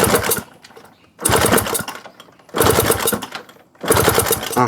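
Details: Honda Wave 125i that won't start: four cranking bursts about a second each, the engine spins evenly but never catches; the ignition is good, compression is 190, but fuel pump pressure is only 1 bar, so the fuel pump needs replacing.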